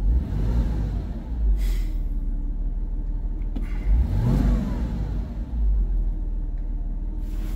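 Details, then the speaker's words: A Porsche started for exercise after sitting, with injector cleaner recently added to the fuel: a smooth idle with clean blips that rise and fall freely, no misfire or rattle. It is running normally. "So anywho, Porsche is running because it just doesn't get enough love and exercise lately. I've got it idling."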